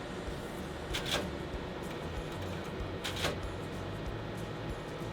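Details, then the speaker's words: Kyocera TASKalfa external finisher after a staple cartridge is replaced and the door closed: short mechanical click bursts about every two seconds as the staples advance, normal, ready once the clicking stops. "push it back in and you close the door you'll hear the clicking and that's advancing the Staples"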